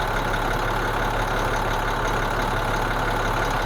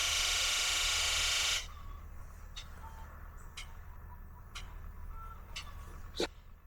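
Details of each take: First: International DT466E diesel truck, cold start after the valves and injectors were calibrated (two injectors had been failing, causing a cold misfire): a steady, even low idle with no misfire or vibration. Normal idle after calibration. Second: International DT466E diesel truck, cold engine, cold-start misfire that clears when warm: injector buzz test with the hydro-booster backup pump disconnected; a rush, then sharp clicks about once a second, with only four of six injectors sounding (first two and last two).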